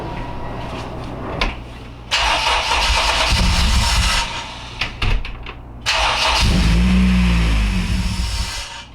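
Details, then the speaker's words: Acura RSX at first start after injectors were swapped and the fuel system primed: it catches after a short crank, then revs unevenly and surges, never settling into a clean idle. The cause of the fuel problem is unclear. "doesn't look like the car likes that so now we need to figure out a plan B"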